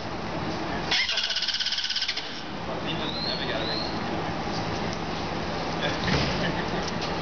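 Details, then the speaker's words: Engine cranking with no fuel pump fitted, third attempt: the starter gives a quick, even chatter of about three beats a second, then quits without firing; bystander suggests repriming. Crank, no start from missing fuel pump. "Cash, that's three goes now. It's not even close to Cash. Yeah, it's not catching. Maybe you need to, like, reprime it?"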